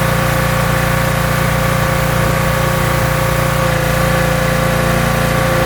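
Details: Pressure washer small engine, owner's first rebuild two years earlier, manifold still leaking (taped), running under pump load while washing car: steady even drone, firm low beat, faint pump hum, no misses or knocks; runs really well.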